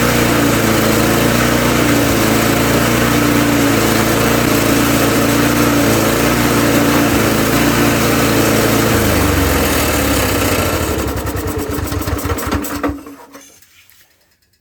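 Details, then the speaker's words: Murray mower with single-cylinder engine, still surging after repair attempts: pitch keeps wavering up and down instead of holding steady, then dying away; a spring suspected of fighting the adjustment, not confirmed. "Okay. So, I think it's still surging. I think it's still surging pretty bad because I bet you if I take this guy off because you can hear it. You can hear it surging."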